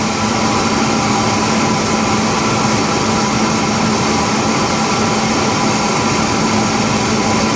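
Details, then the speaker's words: 2003 Ford Ranger 3.0L V6 after a homemade high-flow air filter conversion: a steady, even hum at idle with no misses or knocks. It idles better than before, settling smoothly as the computer takes over. "so yep everything's grunning pretty smooth now computer's taking over and it's telling the engine what to do"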